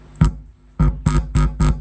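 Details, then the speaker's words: Five short bursts of deep, loud mains hum as a hand touches the power amplifier's input; shows why the input line needs shielded cable instead of ordinary wire. "Ini kalau disentuh inputnya dia akan bunyi, Guys."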